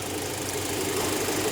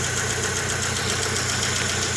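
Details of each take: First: 2000 Rover 75 Club 1.8 K-series engine after head gasket repair and valve lapping, camera under the car. Soft, even idle with a low steady hum; the earlier tappety top-end tapping is gone. Normal idle. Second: 2000 Rover 75 Club, 1.8 K-series engine, first start after head gasket repair and cylinder head rebuild. Steady idle with a busy, tinny rattle over the top. Rattly first start, cause not confirmed.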